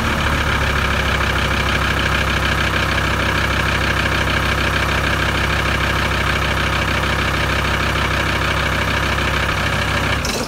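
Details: VW 2.5 TDI van after resetting the diesel pump timing (dial gauge set to 55): a steady idle with an even low clatter and no misses or hunting, then shut off. Settled idle after the timing fix.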